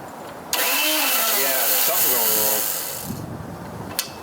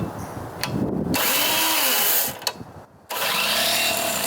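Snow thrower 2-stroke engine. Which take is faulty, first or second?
first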